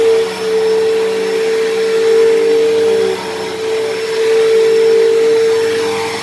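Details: Dyson DC07 upright vacuum, long unused, running: loud, steady high whine over airflow rush without letup; owner suspects dried-out bearings in motor or brush roll, motor bearings already somewhat worn and worsening, still passable.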